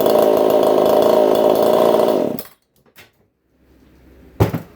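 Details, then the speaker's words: EFCO 152 two-stroke chainsaw on the bench, screaming steady high-rev buzz held about two seconds without stumbling, then clean shutdown; best it has run so far, normal healthy high-rev run. "Yeah, guys. I think in the hands, I think that's the best it's ran so far."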